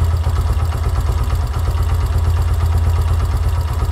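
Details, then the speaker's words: Yamaha YBR125 CV carburetor, idle mixture screw out to 3 turns: low, lumpy single-cylinder idle, slow and labouring; rich idle mixture, with the correct setting at 2.25 turns. "on 3 turns the engine starts to struggles again and engine rpm are low ."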